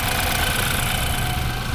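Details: 2015 BMW X3 N20 with blinking check engine light and shaking: uneven stumbling idle with dull thump, steady miss; misfire followed the swapped coil to cylinder 3, failed ignition coil, lean condition suspected of overworking coils.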